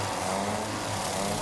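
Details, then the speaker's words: Old Citroen Avant four-cylinder running for the first time in about 20 years after a restoration and earlier no-start trouble; a short burst of steady even running, a low hum with no knocking or misfire, and it sounds healthy. "listen to that how many years do reckon since this old block was running Wow and it sounds so good"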